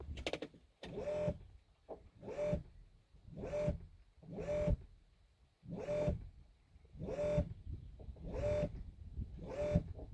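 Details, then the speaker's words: Boat autopilot hydraulic steering pump on an outboard failed after a few fishing trips: short repeated whines about one a second, running freely as if under no load, and the outboard is not steered. Owner suspects overheating, voltage or settings; unconfirmed. "you will hear that the pump is operating but the outboard is not move so okay just look and then we will discuss"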